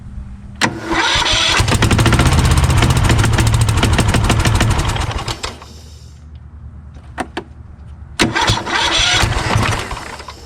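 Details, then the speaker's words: Craftsman YS4500 lawn tractor repowered with a Kohler Courage engine, on choke, whose starter Bendix gear sticks up against the flywheel ring: brief crank, then it catches and runs steadily, stops, and fires cleanly again; normal start and run. "okay well it seems to work now aha okay so there you go"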